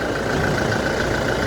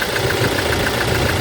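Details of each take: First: 2018 Toyota Hilux diesel after injector service for a cylinder 1 misfire (P0301): steady, even clatter at idle with no stumbles or missing beats, the engine ticking over smoothly. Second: 2018 Toyota Hilux diesel idling with a rough, uneven thrum under injector clatter; code P0301, cylinder 1 misfire, traced to the number-one injector, which is serviced.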